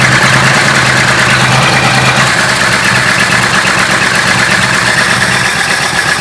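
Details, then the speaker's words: 1966 Ford Country Sedan, stock 390 FE big block V8 with a newly installed performance cam, after fixing a brake booster vacuum leak: rough, uneven stumbling idle, not running on all 8; the owner suspects the valves. "That doesn't sound right. That sounds just wrong. It's better than it was. But something is still not right."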